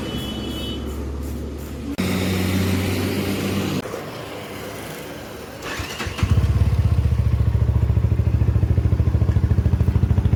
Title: UM sport rough idle, long self & oil leak issue solved. Now starts in just 1 second short self